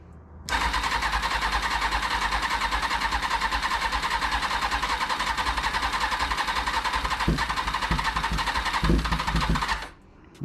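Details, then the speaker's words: 2000 Kawasaki ZX6R during rebuild, cranking with starter fluid and butterflies open: steady fast starter whirring for nine seconds with a few weak pops near the end; won't start; owner says there seems to be no gas coming from the fuel pump. "okay that's with just starter fluid there seems to be no gas going from that filter not filter uh from the pump"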